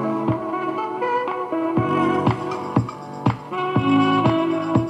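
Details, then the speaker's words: Panasonic RQ-V520 radio cassette walkman, 35–40 years old, tape playing in the forward direction: dull, muffled music with treble almost gone; head deteriorated in the forward position, not a cleaning issue. "is all is not because of the caption is not because of the cleaning of the head or whatsoever is just because the head is deteriorated and the forward position had vanished the edges and fine details of the edges"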